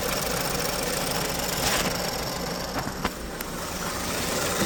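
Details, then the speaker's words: 2019 Ford Escape 1.5 EcoBoost idling with a loud, rough, steady whirring grind, first suspected as the timing belt. With the drive belt and timing cover removed the noise mostly went away, pointing to a failing water pump. "As you probably noticed in a second clip, when the drive belt was removed and we had also the timing cover removed, there was not much noise coming out, so which led me to conclusion that the issue was the water pump."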